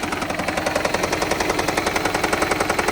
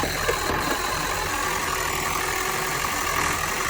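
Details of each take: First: Toyota Prius 20 (owner has fitted LPG) misfiring hard right after a start, with hard lumpy thumping about three beats a second and jerking; it also burns nearly 1 L of 5W-30 oil per 1,000 km, owner fears the engine is finished, cause unconfirmed. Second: Toyota Prius (20-series) petrol engine with oil consumption, light knock and misfire, after fitting Yaris ignition coils: even idle with no skipping or stumble, all cylinders firing; misfire appears gone, though knock from rods or worn engine still suspected.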